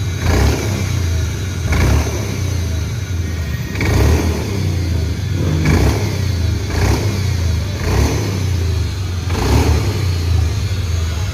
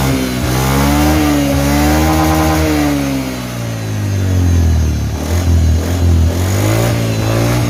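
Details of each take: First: Honda Beat FI scooter, CVT unopened 4 years, before repair; repeated throttle blips each swelling into rough whirring whine from the drive belt area; later fixed by replacing the crankshaft seal. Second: Honda Beat FI scooter CVT, unopened 4 years, after rebuild with new crankshaft seal, bearing, shaft, pulley, engine oil and gear oil; smooth engine note rising and falling with throttle, no whine, previous noise gone.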